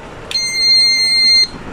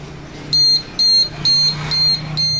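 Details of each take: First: Plug-in household gas leak alarm, mains power switched on: single steady high-pitched beep just over a second, the detector powering up normally. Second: Household gas leak alarm tested with gas from a lighter: loud high-pitched beeps repeating about twice a second without letup; alarm sounds while gas is detected.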